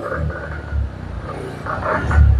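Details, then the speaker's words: Suzuki Spin 125 scooter after starter repair and new spark plug, adjusted but still faulty: engine breaks into uneven, choppy bursts each time the throttle opens; stuttering misfire under throttle, cause unconfirmed. "jadi ketika motor ditarik gas itu suaranya BR seperti itu"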